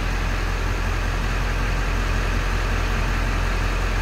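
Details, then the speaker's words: 1997 Ford F-350 Crew Cab diesel, 95,811 miles, recorded at the exhaust: deep even idle with steady low rumble, no misses or knocks, no smoke; healthy. "Diesel runs good, sounds good. Slip around to the back so you can hear this."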